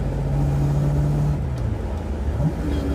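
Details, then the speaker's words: Project Mustang with custom flow tubes and tailpipes, on the open road: steady low rear differential whine over road and exhaust noise, rising in pitch under throttle and quieter off throttle; cause suspected, not confirmed. "I can hear the rear end whining again a lot better. See, I let out the gas and it's quieter. Give it gas. There's the rear end again going crazy."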